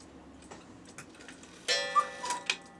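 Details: Cuckoo clock after cleaning and oiling, which had stopped after a few minutes of running: light, even ticks continue steadily with a short chime-like ring; the movement runs normally.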